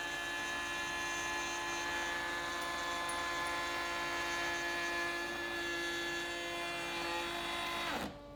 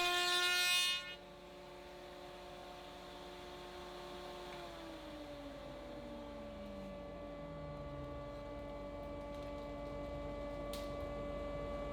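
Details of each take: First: AEG MF 1400 KE router (same as Ridgid R2930), after replacing worn bearings: heavy single-pass raised panel cut in very hard wood; high steady whine, then abrupt drop as overload protection shuts it off; it restarted normally. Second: AEG MF 1400 KE router (same as Ridgid R2930), bought 2017, after replacing both bearings (main bearing was worn): heavy single-pass cut in spruce with a raised panel bit; clean high whine sags under load, then holds steady, no grinding.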